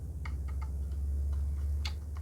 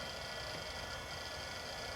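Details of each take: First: Compaq CP3024 20 MB hard drive from a Compaq Portable III, unused since 1997, powered from a bench SATA/Molex supply: motor whines up to speed with no head click or seek, winds down, then retries. Stuck heads, spin-up without seek. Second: Hard drive last used in 1997, revived for a Compaq Portable III: even spin hum with a faint steady high whine, no clicks or scraping. Normal hard drive running.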